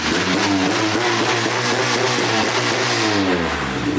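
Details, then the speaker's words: Honda K-series engine after timing was pulled back from overly advanced numbers: loud, raspy exhaust revving up and settling with an even, steady firing note and no misses; running smooth. "it's obnoxious but that's a hitter that's good it sounds smooth I'm happy with it that's cool"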